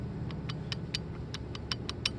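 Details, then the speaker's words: Rooftop fan shaft assembly removed: rough, regular clicking about five times a second over a low rumble from a dry, failed lower shaft bearing, top bearing sounding good. "it's a lower bearing failure and the bearings are sounding really dry uh don't know whether the factory greased them or not top bearing sounds good but the lower bearing is a is a chewy chewy"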